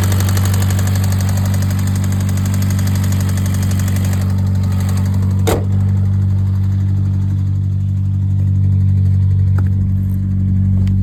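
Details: Engine at steady idle with a dull knock about four times a second over the low hum; a bottom-end rod knock is suspected but unconfirmed.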